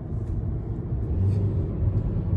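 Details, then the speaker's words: Car with low compression, previously misfiring and running badly, now cleared up after driving: low, even, smooth rumble heard from inside with windows up, no stumble. "she's running good now let's see put the windows up so you guys can hear it how smooth it is"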